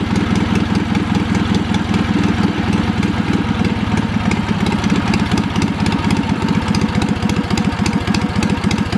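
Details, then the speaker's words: Wisconsin THD twin-cylinder engine, after a stuck exhaust valve was freed with oil and a pick. Quick, steady exhaust thumping at idle, slightly choppy but firing on both cylinders and running pretty good. "Despite the stuck valve, I will say it ran pretty good. It's a little bit choppy,"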